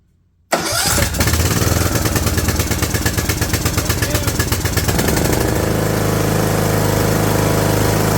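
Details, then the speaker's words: Craftsman LT2000 lawn tractor, after jumpering power to the solenoid: quick start, loose rhythmic chug settling into a steady, even idle after a few seconds. Engine starts and runs, sounds good. "uh ladies and gentlemen it runs let me open the door that's cool cool super cool um it sounds good"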